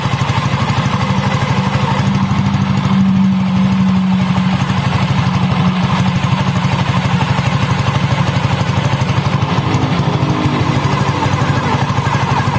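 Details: Honda Scoopy ESP scooter, after replacing a damaged CVT roller housing with a stuck spacer that caused rough CVT noise and weak acceleration: steady even idle, no grinding or rattle from the CVT; running normally after repair.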